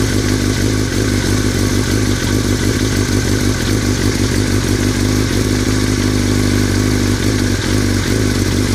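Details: 2003 Yamaha R6 idling steadily with a light metallic rattle over the low engine hum, which started after a trip to Europe; owner unsure whether it is normal or affects performance.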